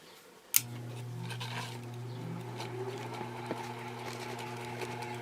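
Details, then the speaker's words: Early-1900s Century 60-inch antique ceiling fan, oil cup filled but still stiff, running on its screw-on switch: quiet steady low hum with faint bearing noise, no scraping (rotor earlier scraped stator at first start, now stopped); normal running. "There you go. It's nice and quiet. Just a little bit of a hum, a little bit of bearing noise, but nothing major."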